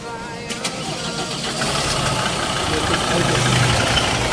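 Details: Old-model van running 6 months on Aero Magic Guard oil treatment: quick catch on the starter, then an even, steady idle with no misses, knocks or vibration. Engine sounds healthy; normal start and idle.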